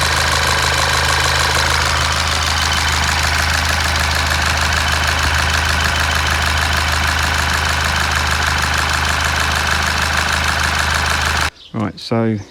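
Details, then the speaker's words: Rebuilt 2012 Golf GTI 2.0 TSI, fresh chains and 50-50 coolant, at steady idle on first runs after rebuild shows a light, quick tick over the engine; ticking of unclear origin, drives fine. "I was a little bit concerned about a couple of things which was worrying me so the I heard this ticking up on the brakes seems to drive fine"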